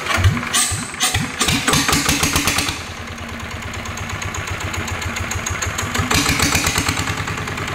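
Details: NF19 water-cooled single-cylinder diesel, hand-started: chuffs catch and settle into an even thump at about three beats a second, clean and steady with no smoke; runs fine.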